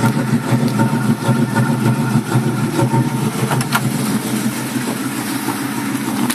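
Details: 1965 Ford Mustang with 2150 carburetor; low idle with an uneven, lumpy beat and irregular stumbles rather than a smooth hum, rough idle with cause unclear.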